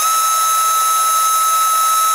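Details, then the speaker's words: Micro inrunner motor with replaced bearings, running with fan fitted: one steady high whine over smooth air rush, no rattle or grinding; much quieter than the rough sound before the bearing change. "Let's have a listen to how it sounds now, because it was sounding quite rough when I was balancing it in that balancing video. See, it's much more quieter."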